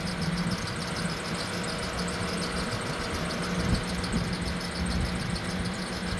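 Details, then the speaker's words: Van just back from two weeks at a dealer for a radiator line repair, hood up: steady idle with a thin chirpy squeal like a squeaky door, never heard before; owners note no fluid and the belt having been off, cause unconfirmed. "And why is it making that noise? I've never heard it make that noise."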